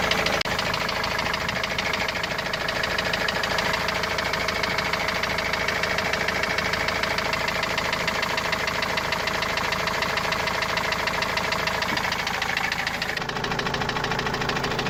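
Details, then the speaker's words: Opel Vivaro turbo-diesel common rail van, parked since the noise appeared two to three weeks ago, idling: steady, fairly regular hammer-like knock about three per second; origin unknown, also leaking oil. "وهذا الصوت ما عم نعرف منين الصراحة، صوت مثل المطرقة يعني."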